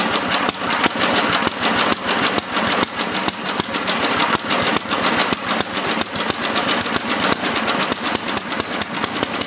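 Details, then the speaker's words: Older 8HP Briggs & Stratton engine on an old Lawn-Boy two-stage snowblower after carburetor cleaning and leaning a rich mixture screw; even, crisp small-engine chatter at steady pace, no surging or sputtering; normal idle, carburetion right. "but at least today we know that the engine runs good"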